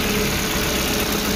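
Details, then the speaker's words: Suzuki APV (Mega Carry), rarely serviced, that shook, coughed and lacked power: after service and part replacement, a short even rev with steady hum, no stumble or shake, rpm settled, running normally. "hai oke seperti baja ini sudah rpm nya sudah tenang Bro udah normal suaranya"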